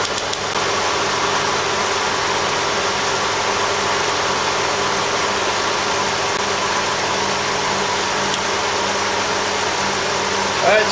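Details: 2000 Hyundai Sonata after alternator replacement, jump-started: steady, even idle with smooth hum, no knocks, misses or belt squeal; charging at 14 volts.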